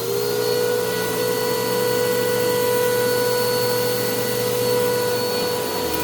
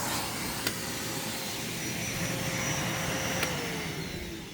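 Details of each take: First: Bissell PowerClean OnePass (35831) vacuum, used Goodwill unit, running after its long-clogged filter was cleaned and airflow unblocked: steady high motor whine with several fixed tones over the airflow rush. The motor is still noisy; owner unsure if it is bearings or dirt in the impeller. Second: Secondhand Bissell PowerClean OnePass (35831) upright vacuum after cleaning, still needing new filters and a belt, testing the turbo brush: even motor whine with a light whirring brush easing slightly at the end; working normally.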